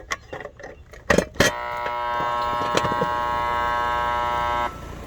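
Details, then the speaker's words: Gibson 3-ton R-410A heat pump outdoor unit, new dual capacitor fitted, voltage present: a few clicks, loud steady hum about three seconds then abrupt cut-out; compressor hums then cuts out, start winding suspected failing, compressor needs replacement. "It tries to run and then it kicks out. It's got voltage. It's got a new capacitor. It's just the compressor's not wanting to start, and it's going to need to be replaced."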